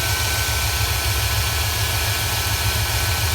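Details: 2001 Dodge Durango 4.7L idling in cold winter wind after starting, charging at 14.3 V: low, even idle hum with steady firing, no misses or squeals; normal idle.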